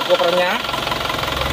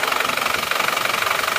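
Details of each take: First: Isuzu Panther diesel pickup after blow-by repair with new pistons, engine at about 60 degrees: even diesel clatter at steady idle, smoother than worn pistons would sound, no smoke from the oil filler; normal idle. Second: Isuzu Panther pickup diesel before repair, cold at 47°C, losing oil: harsh rapid knocking clatter about three beats a second at idle, smoke from dipstick and oil filler; blow-by from worn piston rings, possibly liners, with a stuck ring.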